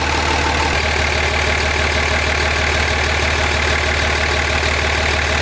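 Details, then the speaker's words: 2005 common-rail Cummins diesel in a 2008 Ford F-350 dually, warming up (reading 93 degrees, for a hot retorque): steady even idle clatter, constant low drone, no misses, knocks or exhaust leaks; healthy. "I don't hear any exhaust leaks. Only 93 degrees."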